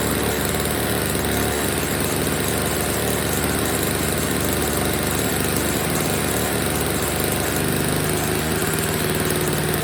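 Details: Old Snapper two-stroke snow blower, first start after storage with fresh oil-gas mix, before repair; steady, even drone at constant idle with no misses or surging, running pretty good except it's dumping gas: normal running.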